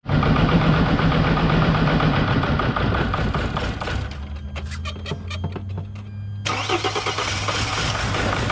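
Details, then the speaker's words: T1N Mercedes Sprinter diesel with a no-start, suspected fuel issue or injectors not opening: rough clatter sags to a low hum with clicks, nearly dies, then catches again when throttle is blipped; unstable running. "so the way it behaved right now I let it recital as it was about to quit I hit the gas it actually started again"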